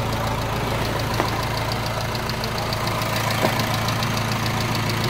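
Even diesel idle with a light, regular injector clatter of about three ticks a second and no squeal or slapping from the belts; sounds healthy.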